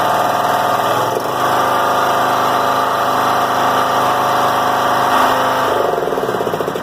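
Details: John Deere L100 rider, Briggs & Stratton Intek 17 hp, before repair: holds a fast, high-pitched idle that stays high even with throttle on low, tach reading between 2500 and 5000; governor ruled out.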